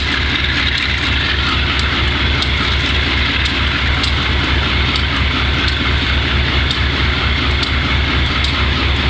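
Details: Wimpy MTL B30-7 diesel locomotive: a loud, heavy roar with a lumpy, uneven pulse, misfiring on failing injectors. Repairs included changing the air intake and some injectors and checking the valves.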